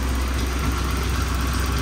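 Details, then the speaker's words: Saab 900 after vacuum-leak fixes; idle previously crept up. Idle now holds around 1000 rpm, perhaps slightly higher, with a steady low rumble and no hunting or surging. Normal idle. "okay so usually after we started it up within 45 seconds or so it would creep up it hasn't been running that long yet but it does seem to be it's right under a thousand right at about a thousand Maybe it might be a higher bigger but yeah"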